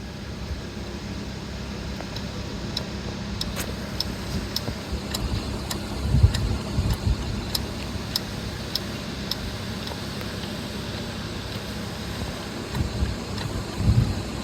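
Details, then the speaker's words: 2004 BMW M3 engine idling with low rumble and light metallic tick about twice a second; VANOS inspected and found okay, rattle likely from failed oil pump chain tensioner. "so that's probably the rattle we were hearing because after inspecting the Vanos everything looked okay but we still had the rattle after putting everything back together and this is probably what it was that failed oil pump tensioner"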